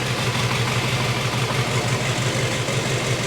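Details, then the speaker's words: First start of a 6.6L Duramax diesel swapped into a Jeep Wrangler, ECM in reduced engine power, no oil pressure reading yet (sensor hookup questioned); even diesel idle clatter with steady low thump, no misses, sounds healthy. "We still don't have oil pressure yet, but it sounds good."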